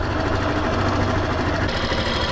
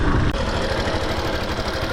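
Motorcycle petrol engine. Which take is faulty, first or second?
second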